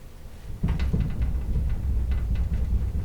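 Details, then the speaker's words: Antique vehicle sitting since 1954, rear wheel rocked by hand before fitting new brake shoes: dull irregular clunks about three a second from wheel play. The hub is to be checked, and Babbitt thrust washers are suspected, not confirmed. "I know you can hear it. Yeah, this is not supposed to be loose. So we're going to check the hub on that."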